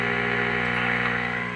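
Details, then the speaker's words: Restored vintage EICO 315 RF signal generator with internal audio modulator on, heard through a radio: faint, steady, clean 400 Hz tone superimposed on the signal, even strength, no wavering or buzz; modulation working normally. "this generator also has a feature where it has an internal audio modulator and if I turn that on it's a little bit faint but I think you can hear is in a 400 H tone it's superimposed on that signal hear that"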